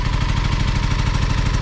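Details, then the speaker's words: Kawasaki Ninja 636 that lost power and crackled on the freeway, restarted in neutral: lumpy, uneven putter at low revs, firing pulses stumbling, needs throttle to stay alive; rough idle, won't hold idle. "there's something wrong with the idol it's not holding idle yeah you can do it you just have to keep it alive"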